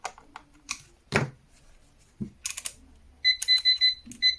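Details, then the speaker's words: PeakTech P 1670 TrueRMS clamp meter giving clean, steady, crisp high-pitched beeps after its old battery was replaced with a new Varta; normal beeping. "You can hear the beeps. They are much more precise."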